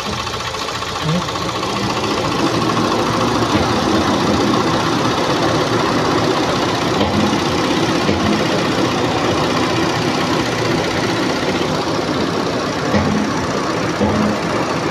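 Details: Ford EcoSport with a camshaft correlation code; owner says the timing belt was also replaced before, and the camshaft needs retiming: uneven, lumpy idle with irregular pulsing and a faint tick. Camshaft timing misalignment.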